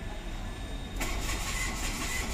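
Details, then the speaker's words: Mitsubishi Mirage G4, all dash indicators on and battery strong: starter cranks at a steady even churn but engine never fires; scan showed CAN time-out codes, traced to shorted crank/cam sensor wiring. "Oh pero malakas yung battery Ayaw umandar"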